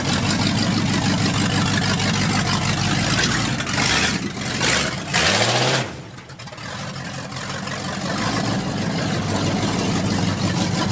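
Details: Ford 1979 F150 with MerCruiser boat V8 swapped in: uneven, lumpy idle with a stumbling rev blip midway before settling; runs rough and needs tuning, cause not confirmed.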